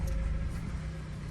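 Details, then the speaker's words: Power steering check with engine idling at about 26 degrees outside, reservoir cap off to let air escape, wheel turned lock to lock about four times each side: steady low idle, no squeal or whine; normal power steering operation. "sounds pretty good. Usually you hear that. That sounds very good."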